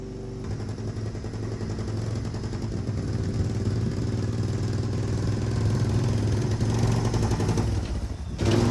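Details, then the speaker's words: 1997 Yamaha Timberwolf 250 ATV after fitting a 95 main jet (stock believed 85); single-cylinder thumping with irregular pops and cracks as throttle builds; still popping and backfiring, owner unsure whether the carb is junk or the jets are wrong: popping and backfiring. "Well guys, as you can tell, um the adjustment didn't make a bit of difference for it. It's still doing the popping and backfiring."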